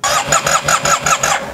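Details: 2009 Yamaha TMax scooter, neglected project, cranked while holding brake: starter cranks in quick even pulses, engine coughs and tries to catch but never runs; spark plugs suspected.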